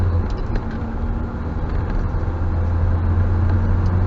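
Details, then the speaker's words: 1980 Triumph TR7 2.0 litre after ignition coil fix: around 900 rpm, slightly high, pulling gently under light load; steady even drone with no misses, spark integrity sounds good. "so she's just taking over site you know about 900 RPM at the moment slightly high if I put away gingerly that's just under loads it's quite it's probably nicely so the Integrity of the spark I think it's quite nice"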